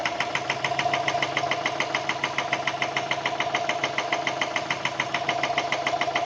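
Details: Subaru EJ204 engine at idle: sharp, regular metallic knock about three a second over the idle, a deep bottom-end rap; teardown found a spun connecting rod bearing on cylinder 1.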